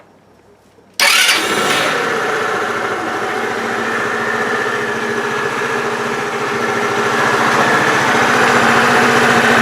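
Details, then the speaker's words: Bashan BWS 2 scooter after repair of worn lower connecting-rod bearing and cage on the crankshaft, engine reinstalled: quick start then even, steady idle with no knocking or odd noises; the knock is gone. "Итак ребята Как слышали никаких посторонних звуков стуков из двигателя уже не доносится то есть причина была действительно в коленчатом Вале то есть в износе нижнего сепаратора нижнего подшипника на шейке шатуна"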